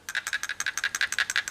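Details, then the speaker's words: CatMate cat fountain pump, cleaned and shaken by hand with the cord restrained: quick, crisp clicks about ten per second as the rotor knocks freely back and forth, showing it is not gummed up with scum. "And you can hear the armature or whatever. You can hear it spinning in there. I mean, you can hear it clicking back and forth. So you know it's not gummed up with."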